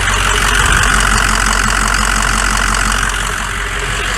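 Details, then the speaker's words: Ford F550 6.0 PowerStroke diesel idling while warming up, oil cap off: rhythmic puffing blow-by, nearly four pulses a second, instead of a steady stream. Worn engine, blow-by not severe. "we do have some blow by not bad little bit of puffing though a healthy worn engine should be a steady stream coming up out of there it should not be puffing like a train"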